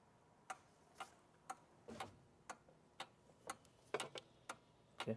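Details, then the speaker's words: 2018 Audi Q5 2.0L with P0299, scan-tool actuator test of turbo recirculation valve solenoid: crisp, even clicks about twice a second; solenoid switching on command, wiring good. "I hear something clicking. So, that's good. This tells me that the wiring of that solenoid is good."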